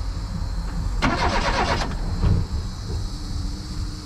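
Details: 1988 Reliant Rialto, long non-running: starter churns in uneven sub-second bursts, engine cranks but never fires; spark confirmed at the plug, so owner concludes a fuel issue and plans to try easy start or brake cleaner.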